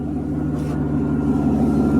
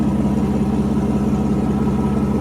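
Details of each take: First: 1992 Mercedes 600SEL V12 at cold idle after start, oxygen sensors removed: smooth, low idle with a thin steady whistle from a vacuum leak at a bad right mass air flow sensor boot, plus mismatched mass air flow sensors. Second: 1992 Mercedes 600SEL V12 barn find after repairs, cold start with vacuum leaks and mismatched mass air flow sensors, loud water pump; smooth constant hum with fine even pulse; normal idle.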